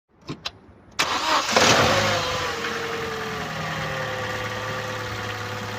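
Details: Opel Corsa D, 2011, 1.2 L (1229 cc) petrol A12XEL, 63 kW/86 PS, 150,980 km: quick start, then a light regular knock ticking through the idle at a few beats per second; rod knock, diagnosed as connecting rod bearing damage.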